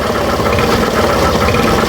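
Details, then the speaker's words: Suzuki Burgman Street scooter, microphone near the CVT; raspy scraping whirr rising and falling with each throttle twist, grinding at the torque drive, torque drive bearing suspected, not confirmed. "Yon parang kumakaskas dito sa banda mga bossing sa turk drive niya. Ayan. So pihitin natin ulit mga boss. Yan oh. Habang pinipiga natin may sumasabay din."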